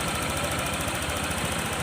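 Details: Honda PCX150 scooter after top-end rebuild (damaged valves had harmed cylinder, piston, rings; valves set intake 0.10, exhaust 0.18): previously hard to start, stalled when slowing, needed constant throttle. Now a soft, even putter at idle, no tapping or misses.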